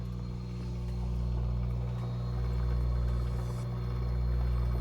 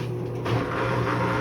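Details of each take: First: Midea washer-dryer after the drain pump (eletrobomba) was replaced: steady, even low hum with no grinding or rattling. Before, it was very loud, as if a stone were inside; now it runs quietly. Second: Midea washer-dryer makes a loud, rough rattling hum, as if a stone were tumbling inside; the cause was a failing drain pump, which was replaced.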